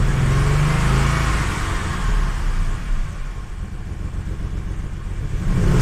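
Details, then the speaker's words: Audi 100 C4 2.8 petrol six-cylinder, after repairs and cooling-system bleeding: engine revs up smoothly and falls back cleanly with a deep rumble, but the exhaust rattles and needs attention. "двигун Працює чітко що з вихлопною треба буде щось зробити то деренчить"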